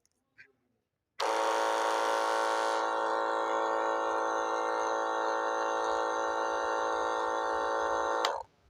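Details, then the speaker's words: Battery sprayer pump with two motors: the bad motor gives a loud, rough, raspy electric whine at one pitch, while the other motor runs smoothly; opening it up shows excessive shaft play from wear. "दोस्तों इसमें से एक motor soft चल रही है और यह दूसरी मोटर है वह बहुत ही आवाज दे रहे हैं उसका आवाज सुना दो"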